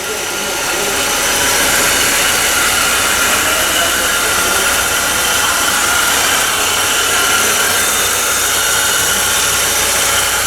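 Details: 2011 Ford Ka 1.0 Zetec Rocam, brought in for a noise on first start: even, steady running with no knocks, ticks or rhythm changes over ten seconds; a healthy, smooth idle.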